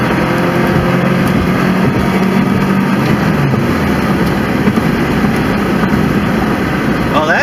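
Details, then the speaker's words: 1993 right-hand-drive Subaru Legacy L wagon, very high mileage, on a road test at full throttle: engine pulls hard and evenly over steady road noise, shifting smoothly with no knocks or whines; normal, healthy acceleration. "seemed fine shifted smoothly even and i was flooring it right there but yeah it shifted smoothly and everything so engine and transmission seem good to me"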